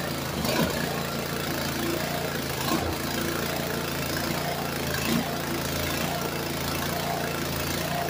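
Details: Walk-behind brush cutter that sank in a pond and was dragged out by tractor, with water likely still in the carb and tank: small engine runs unevenly with surges and dips every couple of seconds, won't idle; owner suspects torn-up linkage limits throw.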